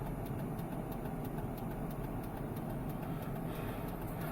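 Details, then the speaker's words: 1997 Chevrolet Silverado K2500 idling with LED turn signals, before replacing the flasher relay: fast, regular relay ticking as signals hyper-flash; new EFL-6 relay fixed it. "as you can tell that is hyper flashing"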